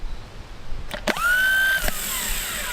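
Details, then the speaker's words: 1959 Dodge D-300 truck, rebuilt starter bench-tested on jumper cables: spins up to a steady whine and keeps running instead of kicking out; solenoid internals bad, replaced with parts from the old starter. "it's not kicking itself out you know that was a 300 and some odd dollar starter and the guts of that solenoid were bad"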